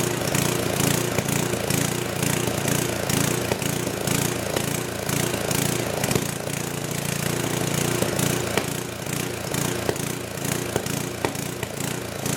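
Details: Old 10hp gasoline generator converted to propane/LPG using only the regulator of a cheap eBay aftermarket carb kit, choke open; uneven galloping note rising and sagging with no steady speed, little backfire; owner suspects it isn't drawing enough fuel, unconfirmed.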